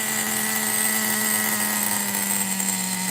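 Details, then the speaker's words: Megatech nitro RC engine, 2-speed restoration, first fire-up, one-way bearing suspected slipping: screams at steady high pitch without dropping to a settled idle; idle set too high, being lowered. "Lowering the idle."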